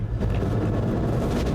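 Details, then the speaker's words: Camper vehicle started for the first time after sitting about two years on old gas: a loud, deep continuous engine roar that never drops even after five minutes of running; the idle is far too high. "Been idle for like 5 minutes. The RPM is not dropping."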